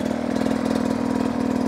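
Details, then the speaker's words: 2023 Beta 250 RR two-stroke riding over obstacles: crisp, even pulses with a steady beat and no misses; very consistent smooth delivery and low-power control as throttle is applied. "you can hear even when I input power it has a very consistent smooth [Applause] delivery low control"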